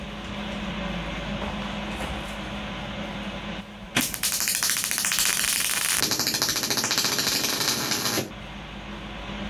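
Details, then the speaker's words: MIG welder with voltage turned way down below chart settings, running practice beads: soft, uneven crackling arc with a soft hiss and irregular sputter, not crisp; voltage far too low. "Do you hear how it was kind of soft? The sound was soft, not crisp."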